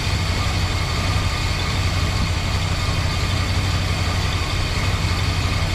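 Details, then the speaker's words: 1968 Chrysler Newport 383 big block with a new Edelbrock 750 four-barrel carb on a Weiand intake, no choke, warming up, timing being checked. A steady, even low rumble with no knocks, misses or ticks. Normal idle. "so yeah she starting to warm up a little bit sounds good it sound better with d off"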